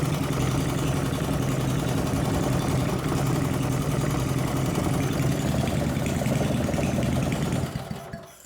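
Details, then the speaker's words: 1970s Briggs & Stratton single-cylinder engine, reassembled with points ignition, starts and runs with an even pop and no misses, then winds down smoothly at shutdown. "I decided to put it back together with the points in it and start it, and it does start up and runs well."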